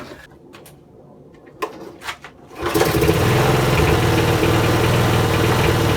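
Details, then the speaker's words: eBay mower bought broken, throttle/safety cut-off linkage freed: handling knocks, then fires and settles to steady even single-cylinder drone with no misses; running normally, throttle adjustment may still need tweaking. "So there we have it. It's a fully working lawnmower, and I still think I need to tweak with the throttle adjustment a bit, but I won't bore you with that."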